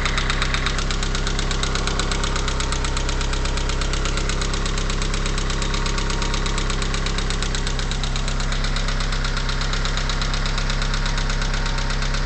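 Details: 4G63T turbo engine with 143k miles, after a cold start following 8 to 10 hours off: steady light ticking knock at idle, about three per second, lasting about a minute and gone when warm. Owner suspects lifters or piston slap.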